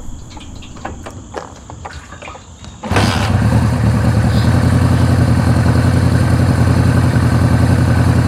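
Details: Suzuki GS750 motorcycle after air filter upgrade, ignition relay mod, valve adjustment, carb vacuum sync and Colortune fuel/air screw tuning: starts after brief quiet and settles into a smooth, even idle with steady low burble.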